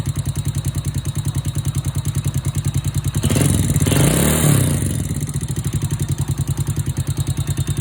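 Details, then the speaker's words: Honda Wave 100/C70/Wave 125-type single-cylinder motorcycle after new cylinder, piston, rings, timing chain, tensioner, guides and oil pump gear: fast light tapping steady over a lumpy idle, valve tapping from excessive valve clearance needing adjustment. "Hโอเคเสียงที่ได้ยินแต๊กๆๆๆๆเป็นเสียงของวาล์วนะครับ"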